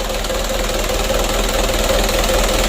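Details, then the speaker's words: Freshly rebuilt 120 PS 4D34 diesel warming up at idle: loud, even clatter with no changing knock; loudness is from the exhaust outlet, injection pump still good, engine healthy and running in. "Itu suaranya besar karena ujung knalpotnya itu ya. Alhamdulillah untuk mesin 120 PS nya sudah hidup."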